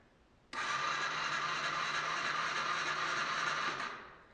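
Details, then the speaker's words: 2004 Honda CBR 125 that no longer runs, key on and start button pressed: steady high whir about three seconds with no firing; starter spinning without engaging the engine, owner suspects seized engine. "And this sounds like the starter is not engaging with the motor itself."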